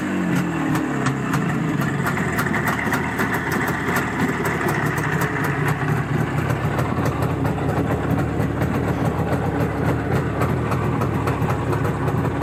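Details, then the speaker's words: Izh Jupiter 5 two-stroke twin with a balanced crank, original Izhmash parts: steady, even idle rumble with no knocking or misses. Normal running. "забегаю вперед сразу скажу что ничего страшного не случилось и вот так это двигатель работает сейчас"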